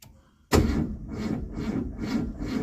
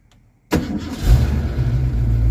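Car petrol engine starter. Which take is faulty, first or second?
first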